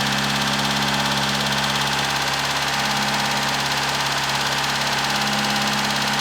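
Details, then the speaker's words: Satria at first start after the hydraulic lifters were removed and cleaned out, idling a bit high with smoke: fast, even ticking about three per second over a steady idle. Dry lifters ticking until oil pressure refills them; expected to clear. "now she's also very Ticky at the moment because remember I pulled out the lifters and what's it called um and clean them out completely so the oil pressure needs to build that back up on them once that happens it should be good"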